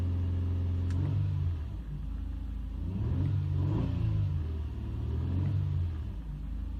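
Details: 2005 Nissan Murano SL AWD with intermittent stalling and SES, VDC, slip warning lights: repeated rhythmic cranking in low surging pulses, turns over but never catches; fixed by replacing the camshaft position sensor.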